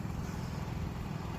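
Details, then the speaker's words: Honda EU3000iS inverter generator after replacement carburetor fixed stalling when throttle pushed in (old carb starved of fuel): short quiet even low hum, steady pulses, no surging or dying; normal smooth idle. "But now that it's uh got a brand new carb on there, it's it's good to go. And you can barely hear it."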